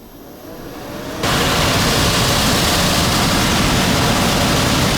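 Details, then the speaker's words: AC indoor blower fired up after repair of fan not blowing air: steady, even rush of air that comes on abruptly and holds without rattles or scraping; blower sucking in and blowing out normally. "Oh, good. It's sucking right in, blowing right out. So that's good."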